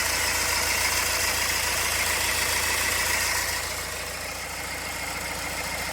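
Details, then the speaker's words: 2009 BMW 320d diesel idling with a slightly uneven, lumpy misfire, engine light on, down on power after being parked nine or ten months; code 443C cylinder 3 injector activation; a pulley or idler may also sound rough. "And let's pop the bonnet and we'll see if we can see how lumpy the engine is."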